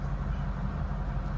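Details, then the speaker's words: 1956 Oldsmobile Super 88 Holiday Coupe heard from the rear at the exhaust: deep, steady, even low idle rumble with no ticks or misses, exhaust mild rather than loud; normal idle. "Slip around to the back so you hear it run. Nothing crazy or outlandish for loud exhaust or anything like"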